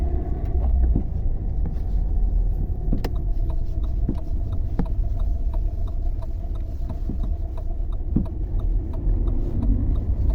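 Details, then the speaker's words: Lada Vesta front suspension recorded from inside the cabin over bumps; sharp irregular knocks through the road rumble, at first thought to be a torn exhaust flex pipe, traced to worn sway bar links. "Но их слышно они такие прямо неприятные Я думал что что-то там будет даже серьёзнее"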